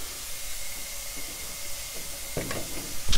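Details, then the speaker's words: 1963 Austin Healey Sprite leak-down test at 50 psi holding only 10 psi, about 80 percent leakage: steady rushing hiss of air escaping the cylinder; suspected burned valve. "10 pounds there so that's quite a bit of loss that's like 80 percent that's like 80 leaked down"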